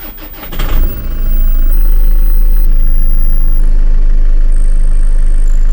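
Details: Land Rover Freelander 2 after throttle body fix, first start, problem thought to occur when warm; brief crank, catches within a second, steady even idle with no stumbling; runs, fix not yet confirmed by driving.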